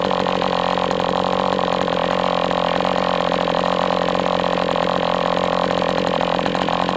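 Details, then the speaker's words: MDS 68 FS Pro four-stroke glow model engine on break-in, near full throttle, almost out of fuel and sucking air. Steady high buzz with a slightly ragged edge as it leans out. Heavy exhaust smoke; carb apparently tampered with. "It's almost out of fuel. It's like about sucking air now."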